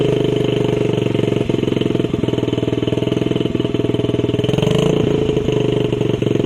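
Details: Honda CRF50 50cc single, choke on, after a part was clamped and tightened: revs up then idle hangs high and sinks back slowly; owner suspected vacuum leak, same issue remains, to be sorted later; cause unconfirmed.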